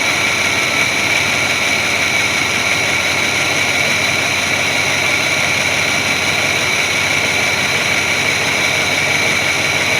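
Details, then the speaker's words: 1981 Chevy C30 dually ex-dump truck, engine restarted after sitting ten years, warming up: constant even hum with no misses, knocks or surging, no smoke, maybe slight lifter noise; normal smooth idle. "running pretty smooth i don't feel any misses it's not puffing any smoke out so those are all good things"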